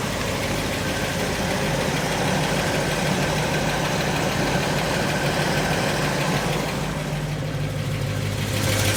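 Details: 1990 Ford F250 5.8L 351W V8, speed density, with upgraded Crane 444232 cam and lifters, TFS-2500-100 springs and original pushrods; light, uneven lifter ticking about three a second over the idle rumble.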